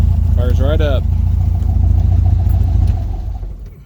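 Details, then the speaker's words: VW Volksrod flat-four with dual Weber IDF carbs after idle mixture setup, engine not yet hot, EMPI distributor issues and jetting still needed: steady low beat on quick restart, slightly sporadic idle, no stumble; runs good enough. "still getting kind of a sporadic idle but it sounds good enough for me see how the restart is"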